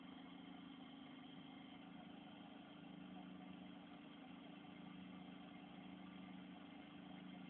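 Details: Vauxhall Astra H power steering hissing with a steady hiss over the idling engine; steering very stiff to turn, and the pump has been changed twice without helping.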